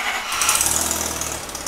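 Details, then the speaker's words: Mazda FD RX7 with a rebuilt 13B rotary and big turbo: a harsh, fast, sharp chatter stays loud over the engine because the original exhaust manifold gaskets were reused; exhaust manifold gasket leak needing replacement. "oh does that sound right that doesn't sound good C the clip so basically what's happened guys is that we have just reused the original gaskets for the manifold to connect towards the engine"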